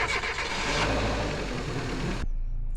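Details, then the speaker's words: Grandpa's Renault Duster with a dead battery, started using a jump starter: dense engine roar settles into a steady run for about two seconds, then cuts off abruptly; the engine fires and runs. "The duster. The mighty duster is alive."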